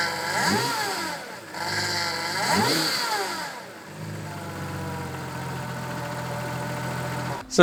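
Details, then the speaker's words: Audi B5 S4 at idle with a power steering pump whine that grows louder when turning the wheel and louder still on throttle while turning; suspected cracked suction hoses drawing air, old aftermarket pump later replaced with OEM. "there you go right away you can hear that whine um of course it gets louder whenever I put pressure in the system meaning turning back and forth the steering wheel and then it's exacerbated even more whenever I'm on throttle and turning"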